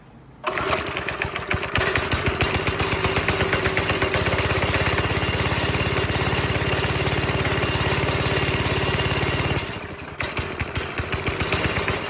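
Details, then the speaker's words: Go-kart with a 5.5 hp Briggs & Stratton engine after the loose throttle cable was refitted, choke off. It pops into life with a fast steady putter and picks up cleanly on throttle; normal running. "Well, we have throttle response. At least I think we did. Oh yeah, we are freaking gorgeous now."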